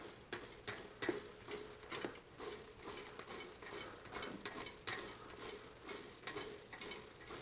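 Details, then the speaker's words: Neglected older Trek 6500 mountain bike: quick ratcheting clicks about twice a second as the wheel spins. The sticky freehub still drags slightly but is freeing up after repeated lubrication. "that seems to be helping that's probably good all right winning we like to win oh it's alive clean some of that filth off you can see it's dripping with delight it's a happy freehub"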